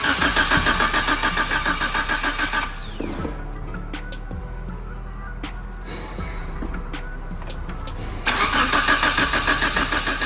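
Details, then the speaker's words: Suzuki Samurai with swapped 1.6L 16V engine, first crank after machine shop fitted new head and gasket for head gasket failure; timing thought 180° out and reset. Starter spins engine at steady beat, stops, cranks again, never catches; timing suspected still not right. "I just verified timing and I think it was 180 out so I'm about to try and crank this sucker"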